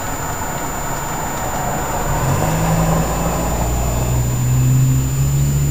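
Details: 2000 Ford 7.3 Powerstroke diesel cold start in 7°F Wisconsin weather (about 10 above said): deep, steady clatter settling right after start, even with no lope, white smoke; normal cold start.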